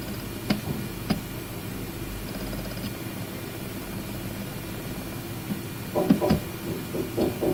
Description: It is my 3rd WD My Book WD 8TB drive, I shipped it 2 times to RMA replace and they all make the same rattling noise in IDLE it is similar to pneumatic hammer, starts from 0:58 on the movie, increase volume to hear it.